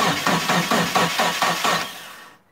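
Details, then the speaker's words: Turbo Eclipse GST, first start attempt after about 9 years off, battery charged, fresh fuel: two seconds of steady cranking at about four compression beats a second, never catching. No fuel pump prime heard; scan points to the fuel pump, bad or faulty wiring. Crank no-start. "so right off the bat uh i don't hear the fuel pump priming um i'm gonna have to check the wiring on that before i i would hear it wind up real loud"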